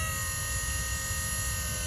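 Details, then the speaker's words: Electric power steering pump installed in Nissan S14, speed cable powered before triggering: pump turns on fast with a steady, even electric hum and high whine, no surging or grinding; normal. "I'm pretty sure you guys can hear how fast it will turn on. I'll do it one more time."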